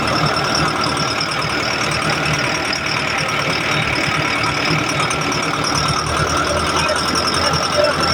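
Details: Backhoe diesel that would not start, fixed after cleaning clogged, newly calibrated injectors; settles into a steady, even clatter at idle with no misses or surging; normal idle.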